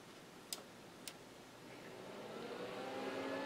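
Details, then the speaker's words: About 20-year-old Micron Home MPC with a Pentium MMX 200, first boot since the factory, on the bench with the cover off and all drives disconnected: two switch clicks, then the power supply fans whoosh smoothly up to speed. Power light comes on. "We got fans. Got power light."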